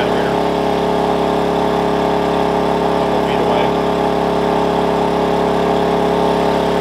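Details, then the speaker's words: Wen 56203i 2000 W inverter generator (made 7/2020), eco mode, about 1375 W load, mic right next to it; steady, even hum at constant speed with no hunting or surging, holding the load smoothly. "it's about 1375 watts seems to be holding pretty steady"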